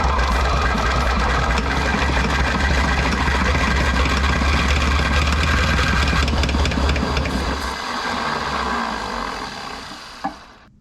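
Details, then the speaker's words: 1960 John Deere 1010 diesel tractor, injection pump flipped back 180°, intake heated: rhythmic cranking with a few labored firing pulses, almost runs but won't; owner suspects low compression, injectors confirmed squirting. "thing almost ran holy crap boy that thing sounds bad I know the injectors are squirting I think I just don't have enough compression"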